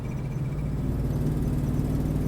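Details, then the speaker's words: Procharged 1996 Ford Mustang GT on its first drive: a loud deep V8 drone with a raw, open-header edge. The exhaust leak at the header is back after a makeshift repair failed, and the engine is breaking up in third and fourth gear. "I definitely hear the exhaust leak is back so I guess my really horrible repair didn't last that"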